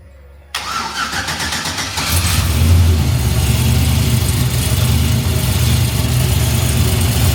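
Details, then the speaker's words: 1974 turbo Camaro after fixing compression tester leak (150 psi) and tightening headers: starter whirs briefly, engine catches and settles into a steady, even idle with no misfire or clunking; sounds healthy, repaired. "That sounds a lot better. Is that how it sound?"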